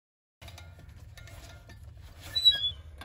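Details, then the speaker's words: Car raised on stands, rear wheel spinning: a short high squeak rises once per rotation over a low hum, where a scraped, shiny spot on the brake disc rubs; not the U-joints. "algo que también podemos notar es que el rechinido se escucha en cierta parte de la rueda aquí no se escucha nada hasta que pase en cierto punto es donde rechina"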